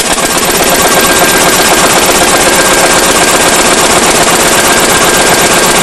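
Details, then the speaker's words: Powerline Lister single-cylinder diesel after draining fuel system and fresh fuel: loud, harsh, uneven clattering beat about four a second, rough from startup and worse than before; fuel line restriction ruled out, owner suspects injector pump or injector. "it's not any better matter of fact it's worse used to start smooth and run rough and now it pretty much just runs as you see pretty rough right from the get-go"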